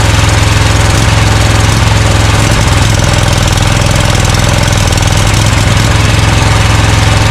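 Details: Scag Cheetah mower with a Briggs & Stratton Intek V-twin: a loud, lumpy run with irregular stumbles as one cylinder misses. Dirt was probably sucked past the air filter into the left carburetor side; spraying cleaner helps, and a replacement carburetor is planned as the fix.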